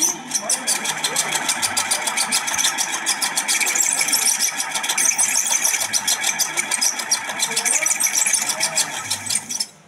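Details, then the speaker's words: Ceiling fan before repair: creaks and rattles in a fast, harsh, metallic rhythm, a loud, annoying noise. "প্রিয় দর্শক কত বিরক্তিকর একটি আওয়াজ আসতেছিল শব্দ হচ্ছিল মারাত্মক একটি শব্দ হচ্ছিল এই ফ্যান থেকে আপনারা শুনতেই পারছেন"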